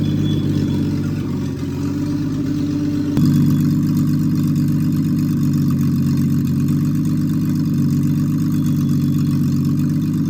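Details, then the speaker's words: Freshly rebuilt Triumph TR6 six, head shaved 60 thou (about 8.4–8.5:1 compression), after first start, warmed up, chokes off, distributor slightly adjusted: steady, even note with smooth low beat, no misses or knocks; normal warm idle. "So she runs well. It was tricky in the beginning when there was no when it was cold, but now it is but once it warmed up and I turned the chokes off, it's running pretty well."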